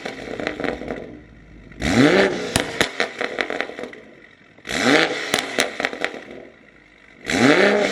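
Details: 2020 BMW M340i started after reinstalling catless downpipe and mass airflow sensor; three quick blips rising and falling sharply with raspy crackle on each drop; engine pulls cleanly; normal start-up and revving.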